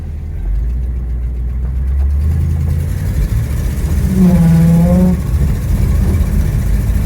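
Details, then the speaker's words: 1960 Ford Thunderbird, possibly an original 41,000 miles (unconfirmed), on a road drive under heavy throttle: a hollow hum or honk rises for about a second, then fades. The source is unclear, possibly a vacuum noise; the carburettor may be older. "stepped on the gas kind of heavy and heard a bit of a a honing noise vacuum noise or maybe something see if I can get that to happen"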